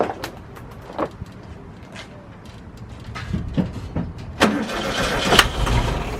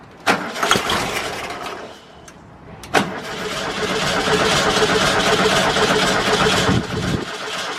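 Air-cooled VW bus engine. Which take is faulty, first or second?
first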